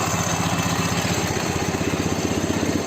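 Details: Ural boxer engine in a Dnepr motorcycle after engine swap, with Ural generator, valves adjusted and ignition set, "bomba" muffler; steady even two-cylinder beat about four pulses a second, firm low thump, no misses: normal idle.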